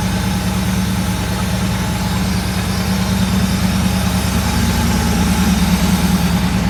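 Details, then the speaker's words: Euro Mercedes 6.9, still cold after sitting overnight, muffler missing: steady, slightly fast cold idle with a deep, loud exhaust drone; idling a little high, oil pressure still good. "Check the gauges again. Oil pressure's still good. Idling a little high."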